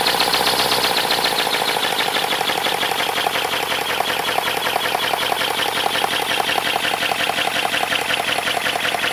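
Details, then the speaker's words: 3D-printed 412cc V8 engine made of ASA plastic: fast, even rattly chatter pulsing steadily after a brief settle; runs smoothly with no odd knocks. ">> Okay, it sounds good."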